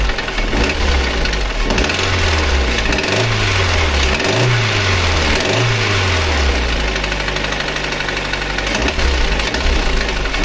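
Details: Lada Granta 8-valve petrol engine idling: fast steady metallic knock and ringing; no piston-to-head contact found by borescope. Teardown showed skewed connecting rods, likely striking the crankshaft webs, with wear on cylinders one and three.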